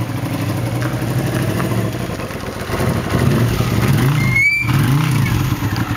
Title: Honda CX500 1981 model, motor running rough